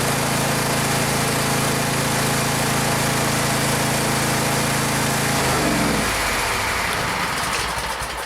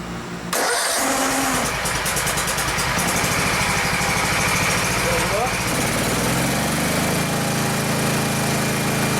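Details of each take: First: Gravely 144Z zero-turn mower with a 17 HP Kawasaki FH500V V-twin: a hard shaking rattle at about four beats a second, then shutdown. Owner heard what sounded like the plastic cooling fan; cause unconfirmed. Heavy engine vibration. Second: Gravely 144Z zero-turn mower with 17HP Kawasaki FH500V engine after cooling fan replacement, which had shaken badly before: starts right up and runs steady, smooth and balanced; normal running, much less vibration than ever.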